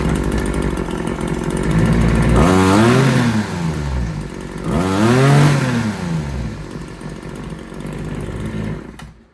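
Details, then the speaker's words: RedMax TRZ230S two-stroke trimmer after raising the idle: revs up twice from idle and drops back cleanly, with no fuel leak. Runs strong, just a hair boggy off idle; owner wonders if the diaphragm is slightly off. "Can't ask for much better than that."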